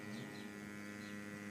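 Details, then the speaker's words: Sewerin Variotec 8 tracer-gas leak detector, several years old, sampling pump switched on while sniffing the ground above a pipe: steady low buzzing hum with an even pulse, no rattle or labouring; pump running normally. "Là, je monte rapidement comme ça mais en gros, on avance, on actionne la pompe,"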